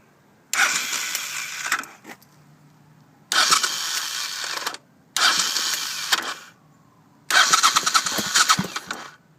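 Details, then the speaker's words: 1983 VT500c with a 1985 carburetor. The starter gears seem fine, but four short cranking bursts give a high, rough whirr that never catches the engine; the owner suspects a blown starter clutch, possibly its springs. "basically when I start it I think the starter clutch is blown um I'm going to try to get the sound and maybe one of you guys can help me out so here we go"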